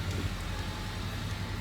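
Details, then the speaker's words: Diesel truck ("Big Red") on its first cold start of the day, running about two minutes after new fuel injectors and a new Atlas FICM were fitted; steady, even low diesel rumble with no misses or knocks, a smooth normal cold idle. "oh you know i didn't even think about that's technically a cold start the truck hasn't run all day that's the first time i started it it's only been running for two minutes"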